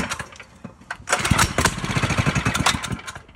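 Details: 5hp Tecumseh go-kart engine given a squirt of fuel and pulled: a few uneven pops build into a quick choppy run that fades out; fires on the priming fuel and dies once it's used.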